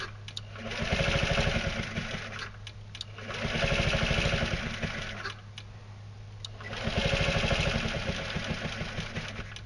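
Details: Carbureted scooter with fuel line clamped before the fuel pump, hydroxy cell off: engine catches and surges roughly every three seconds, then sags and stumbles, never settling; cannot keep running; fuel starvation.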